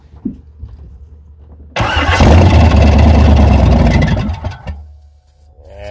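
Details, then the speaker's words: 1994 Chevy C1500 Silverado 4x4 with fuel supply problems: cranking with harsh metallic grinding chatter over the starter whir, then it cuts out; the starter pinion and flywheel teeth are beating each other up. "sounds like we're going to have to figure something else out with that starter too as you can hear it and the flywheel beating each other up it sounds like"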